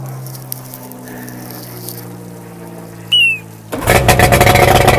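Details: 1993 Evinrude 70 HP outboard, first start after full powerhead rebuild (0.030 over piston in #3, replacement crank, new gaskets, seals, impeller), run in backyard on water: quiet hum and short whistle, then fires into a steady, crisp buzzing run, no knocking; normal running.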